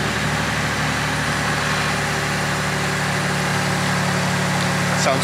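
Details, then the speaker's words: Mitsubishi Legnum VR4 being checked for burning oil (turbo or head gasket suspected): settled, even idle with a smooth low rumble, no knocks, ticks or misses; engine sounds healthy, smoke hard to see. "that actually yeah i don't i don't see any smoke in there there is there is"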